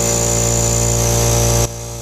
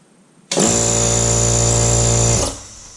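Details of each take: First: Craftsman 4-gal 1 HP oil-lubricated air compressor (921.166380), previously locked up and humming, run briefly with the motor cowl off: motor hums and hisses steadily but builds no pressure. Owner suspects the head isn't fully snugged down. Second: Craftsman 4-gal 1 HP oil-lubricated air compressor (921.166380), first start after repair of a motor that only hummed and was locked up, motor cowl off: clean start into a steady, even hum. Normal start and run, but it then builds no pressure; head suspected.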